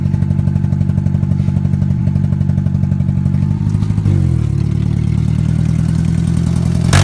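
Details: Engine at low uneven idle with rapid, fairly regular ticking that shifts as idle changes; owner wavers between rod knock, lifter tick and a damaged valve, unconfirmed; later suspects a vacuum leak at a brake line, exhaust nearly falling off.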